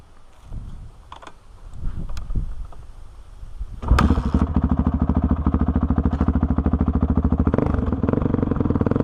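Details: 2005 Honda CRF450X, sat 10 years, after blocking hot start and rejetting (main 190, pilot 45): after handling noise, starts first kick into crisp, rapid, steady thump pulling cleanly without bogging; normal running.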